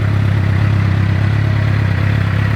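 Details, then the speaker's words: Suzuki GSX-R 600 with fresh oil, coolant and spark plugs, fuel pump priming, in neutral, fuel tank still somewhat rusty: starts right up and settles into a steady, even low burble at idle with no misses or ticks. A normal healthy idle. "Now here we go. And just like that, voila, starts up every single time."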